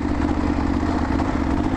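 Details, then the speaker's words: Kawasaki KLR650 single that suddenly lost power on the highway: idles fine but chugs low and flat, refusing to rev past about 2-3k except sometimes when slipping the clutch. Owner hopes carb, fears mechanical; unconfirmed. "there's definitely some fuel getting there because it's still running it idles fine but when you rev it up above like two or three sometimes it'll go up there"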